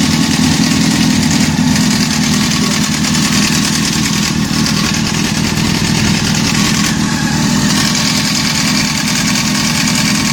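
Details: Honda CBR600 F4 inline-four idle: fast light metallic rattle from the top end that doesn't settle; owner suspects timing chain noise.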